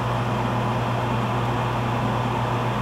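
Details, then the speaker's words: Gas furnace startup sequence during a gas valve test: smooth, constant low draft inducer hum with no rattle, and a pressure switch click before the igniter heats. Inducer normal; the test later found a bad gas valve. "we got the sequence of operations going inducers going to kick click on the pressure switch listen click"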